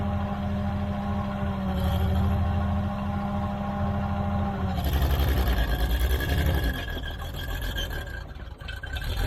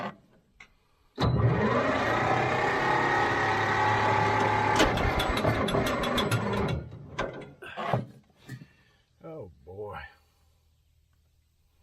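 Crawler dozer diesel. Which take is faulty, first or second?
second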